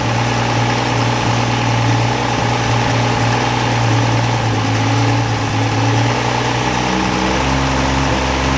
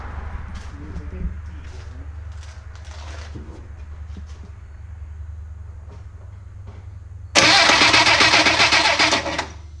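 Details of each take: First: 1963 Rambler Classic 660 after sitting long, following points work: steady, even idle with a slight dip near the end; it runs but stumbles off throttle, owner suspects dirt in the carburetor idle circuit. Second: 1963 Rambler Classic 660 that sat a long time: quiet hum, then about two seconds of loud, fast starter cranking that never catches; engine turns but has no ignition spark, points and condenser need cleaning.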